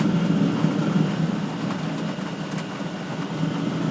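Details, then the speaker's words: All-in-one 12V/24V/240V diesel heater at full power, drawing 40 W, with a full diesel supply. Burner roar surges and sags about three pulses a second; nearly flamed out. Owner suspects the air intake and exhaust arrangement. "wow it nearly flamed out there that was weird"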